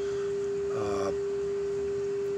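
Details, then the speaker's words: Carver MXR900 receiver, signal applied directly to power amp inputs with pre-out jumpers removed; previously dead channel now working after a wire was wiggled: clean steady mid-pitch test tone on the speaker, no dropout or crackle; suspected bad connection. "i can hear it on the speaker so i almost don't even have to look with the scope"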